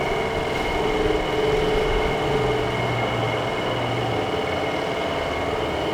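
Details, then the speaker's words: Dometic RV furnace blower, sail switch dropping out, powered from a truck: low steady droning hum with faint wavering tone; blower turning too slowly, suspected bad fan motor or possibly low supply power. "the fan still doesn't sound good that motor doesn't sound good"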